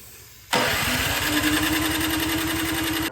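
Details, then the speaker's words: Snow blower on electric start (the pull cord is broken) after the carburetor was cleaned and the float and needle replaced: about 2.5 seconds of steady cranking with no firing; it cranks but won't start, and a replacement carburetor is planned. "All right. Since this carburetor I've cleaned it all out, it still doesn't run."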